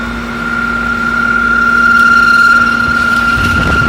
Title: A/c making weird noise